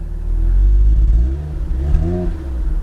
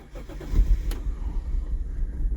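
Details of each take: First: Twin-turbo Supra-engined Toyota Soarer imported from Japan, sitting with old gas and wanting to stall on throttle, heard from outside; two clean blips rise and fall smoothly from a steady idle. Normal revving; needs fresh gas. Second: Imported twin-turbo Toyota Soarer (Supra engine), 126,000 km, first start on very low fuel after oil was added: catches and settles into low, uneven, stumbling idle; rough cold-start running, possibly from the added oil, smoothing out shortly after.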